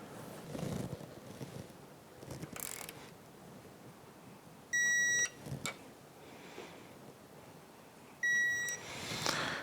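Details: 2004 Yamaha F225 outboard powerhead rebuild, digital torque wrench on crankshaft bearing bolts (17, 35 ft-lb plus 90°) with Plastigage: two sharp high beeps amid shop noise as each bolt reaches target torque.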